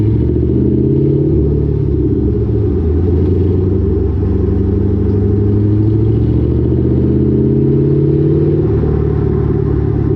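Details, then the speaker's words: Car with lowered rear coilovers whose exhaust banged on the axle over bumps, now fixed with header wrap; GoPro recording under the car while driving. Steady low exhaust rumble rising and falling with speed, no banging or metallic thuds. Normal exhaust, no rattle. "There is there is literally no exhaust rattle I hear from my exhaust banging on my axle anymore."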